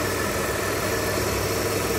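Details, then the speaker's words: Mitsubishi Delica V6 after camshaft seal replacement, first run, no leaks: faint steady high whine over an even idle; owner unsure of source, suspects air in the power steering, but fluid shows no bubbles. "there is that heating noise that i don't know is coming from and i don't know if that was normal it sounds like air on the power steering"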